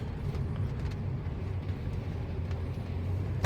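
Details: Test drive after setting up auto-lock, unlocked in drive: steady road rumble, then one crisp clunk as the doors lock at about 17–18 kph; the auto-lock engages properly, the problem now solved.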